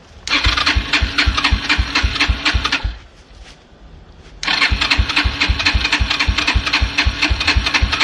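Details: Yamaha TT-R125 dirt bike, about 10 years in a barn: electric starter cranks steadily, pauses, cranks again without catching; no start because it ran out of fuel, with gas found leaking from the carburetor, whose bowl was then pulled.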